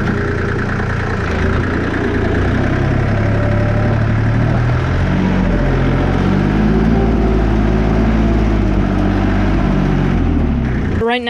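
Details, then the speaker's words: Allis Chalmers 5015 tractor diesel after an attempt to drain water from the fuel via disconnected fuel lines: even clatter holds steady, then revs rise and settle without misses or stumbles; clean healthy running. "So I actually ended up taking off the fuel lines and running it just without the fuel lines on, or spinning it over, and I think I got all the water out. And I'm not gonna lie, I did already start it. But here's what it sounds like."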